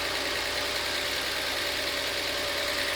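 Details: Passat engine at steady idle after timing work, with a light, fast tick over a hissy top end; owner unsure whether it is a timing issue or lifter noise.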